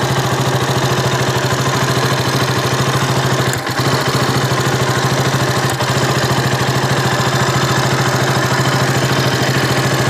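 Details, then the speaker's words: KTM RC 200 single-cylinder idling before the fix; it stalled at idle and when the clutch was pulled. Fine tick-tick sparking sound with brief stumbles: ignition misfire from a loose spark plug cap. "കാര്യം നമുക്കതിൽ നിന്ന് ഒരു സ്പാർക്ക് അടിക്കുന്ന ഒരു സൗണ്ട് കൂടെ, tick tick tick എന്നൊരു സൗണ്ട് വരുന്നതായിട്ട് ഫീൽ ചെയ്യുന്നുണ്ടായിരുന്നു."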